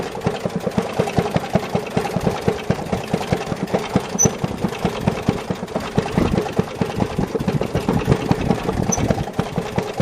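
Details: Maytag Model 92 engine on a Maytag 90 washing machine, exhaust routed into a bucket of water: muffled, uneven popping with irregular gaps between firing strokes; engine labours from exhaust restriction.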